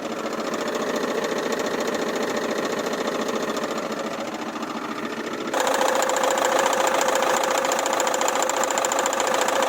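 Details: Running engine with a steady, fast knock of about three to four a second from a failing crankshaft harmonic balancer pulley, the second time it is being replaced. Finding: harmonic balancer knock.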